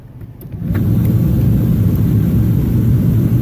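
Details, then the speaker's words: 2001 Jeep Grand Cherokee HVAC blower after the fix of flipping the backwards-wired plug on the new fan: it spins up in under a second to a strong, steady rush on full high with no rattle, so the blower works properly. "Now I'm hoping you can hear the difference there. The fan is much more loud. And now I have full fan, full high blast, good airflow out."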